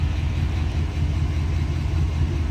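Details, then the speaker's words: 1965 Sunbeam Tiger roadster, carbureted 289 V8, just started: deep, low, even burble with a steady rhythm and no ticks or misfires; smooth, healthy idle. "Let's start this little roadster up and listen to her purr."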